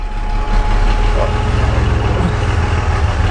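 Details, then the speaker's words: GMC Safari van started outdoors in cold weather, firing on the first crank; loud, steady low rumble with an even beat, no knocks or misses. Normal cold idle. "so there you go the old vana risky fired up first crank it did"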